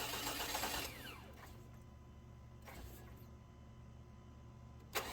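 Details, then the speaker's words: 2000 Chevy Tahoe Limited, Vortec 350, sat in snow; brief cranking, then a few isolated random hits after the starter is released, sometimes trying to run backwards; distributor cap crossfiring between closely spaced contacts. "it's doing something just really bizarre you turn the key off or whenever you release the starter the motor it it hits a couple of times sometimes it'll even try to run backwards"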